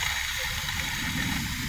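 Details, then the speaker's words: Mercedes-Benz sedan engine inspected before installation, water pump and pulley turned by hand: steady, gritty rushing hiss with a slight magnetic-feeling drag instead of a clean spin; worn internal bearing, pump and pulley to be replaced. "estiones lo que es la bomba de agua nos damos cuenta de que está mala porque al momento de que giramos hace un retorno leve como con magnetismo Entonces eso nos indica que los balines internamente están dañados verdad la la balinera por lo tanto nos haría ruido"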